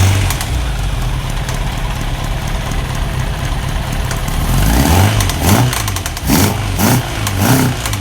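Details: 1991 Kawasaki ZZR1100 bought as spares or repair, being revived: the four-cylinder idles with a steady low beat, then throttle blips bring a rattly, uneven noise on top; source of the odd noise unclear.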